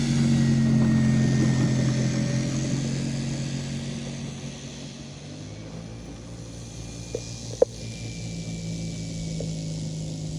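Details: CY Models 100" Cessna Bird Dog RC plane with electric conversion on a 10S battery, taxi test at part throttle; steady motor hum and prop tone that dips slightly and recovers. It runs normally.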